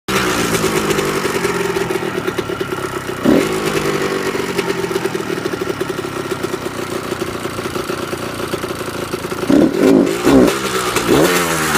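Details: 1998 Kawasaki KX125 two-stroke idling then revving in sharp bursts, with a faint slight ticking and rattling under the exhaust note at start-up and when revved; cause unknown.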